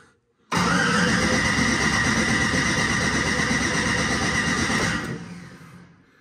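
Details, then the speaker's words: Ford Mustang with single-turbo LS-based L33 engine, first start-up attempt: catches roughly and runs ragged about four seconds then fades; owner suspects low battery or coils plugged in wrong. "hmm battery sounds a little low okay that didn't sound good hmm it's got to be coils her something's not plugged in right"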